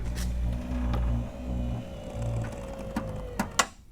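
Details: 1996 Cadillac Fleetwood Brougham, newly rebuilt trunk pull-down motor bench-tested: steady electric motor hum for about three seconds, then a clean clunk as it stops; pull-down motor working properly.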